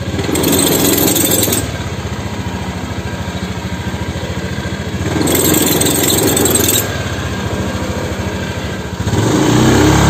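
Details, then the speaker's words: Honda Scoopy fuel-injected scooter: shuddering, rough surge with thin high squeal on initial take-off in four short pulls; CVT judder and squeal, fixed by disassembling the CVT and rear pulley. "nah kurang lebih Contohnya seperti ini nih"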